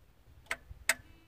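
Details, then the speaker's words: Freightliner FLD120, 397k miles, first start attempt after sitting about 17 years: two sharp dry clicks from the starter solenoid, with no cranking. Starter solenoid clicking. "that clicking is a solenoid to thicken a time or two"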